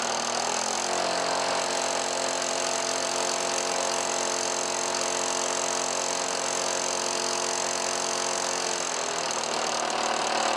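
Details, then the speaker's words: 1977 Lawn-Boy two-stroke mower from a barn, after rebuild with new fuel line and heavy priming: steady buzzy run at even pitch, brief sag near the end before picking back up; normal running. "Let's see what it does. Ooh. Sure sounds like it wants to mow a lawn."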